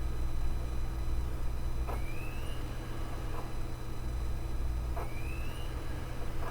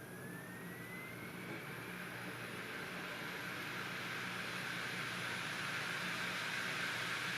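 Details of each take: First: Desktop ASUS optical drive writing a DVD-RAM disc: over a low steady hum, a rising whirr repeats every few seconds as the disc spins up again, the same as the laptop drive; normal for the format. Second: Opened-up optical drive deleting files from a 3x-speed DVD-RAM disc: steady whirring hiss with a faint rising whine. The disc spins up far too fast for this 3x-rated media.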